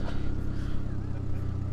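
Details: GSX car after sitting about a month, warm idle with AFR 14.6–15.1: low, steady idle with an even pulse and no misses or ticks; idle has calmed down and runs cleanly, healthy.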